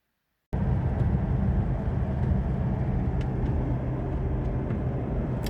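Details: 2009 Mazda BT-50 / Ford Ranger PK PJ diesel on a road test after a faulty MAP sensor was replaced and codes P0107, P2227, P2263 and P0101 were cleared, fixing limp mode: smooth, steady low rumble with road noise and no surging or hesitation; it runs normally.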